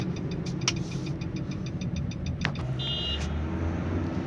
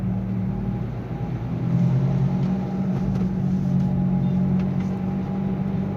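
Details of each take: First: Nissan Sunny test drive at speed after a humming-noise repair: only even road rumble and low engine drone, no rising hum or growl, where hum was heard before at this speed; normal, healthy wheel bearing. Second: Nissan Sunny while driving: a steady low humming drone under road noise that grows louder as speed rises and persists in neutral, with noticeable vibration while the engine itself sounds normal; worn wheel bearing hum.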